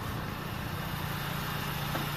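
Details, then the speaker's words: 2015-2020 Honda Fit 4-cylinder at 92k miles, just after changing to OEM NGK iridium spark plugs: smooth, even idle with a faint light clicking tick, no misfire or stumble; normal idle. "Alright, so started the car back up and the engine sounds the way it's supposed to sound, with a little clicking sound, and put the code reader just in case."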